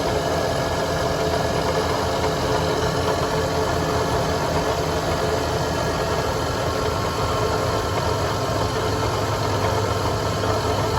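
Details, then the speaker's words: 1988 Ford E150 4.9L six-cylinder with a low charging reading on the tester: a steady idle with a low, rough grumble underneath and nothing sharp or rhythmic. The owner suspects the alternator, possibly the water pump. "There we go. She actually sounds pretty good. Hear that little grumble though."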